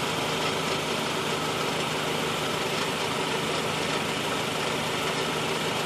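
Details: 2013 Honda Civic, cold petrol engine idling with AC on: a dense, rough whirring rattle over a faint low hum that goes away when the clutch is pressed; owner suspects the AC clutch, not confirmed.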